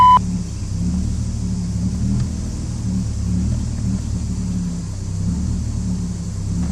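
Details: BMW 330i straight-six at idle, unresponsive to the accelerator pedal: lumpy, uneven low rumble with a stumbling beat; misfire from bad spark plugs with moisture found on the coils.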